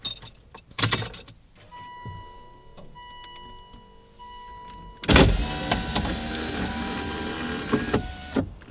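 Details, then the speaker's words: Volvo V50 T5 cold start after sitting about 18 hours, windows down; keys and chimes, crank, then even cold idle with no exhaust manifold squeal heard. "you guys heard that absolutely no squeal today"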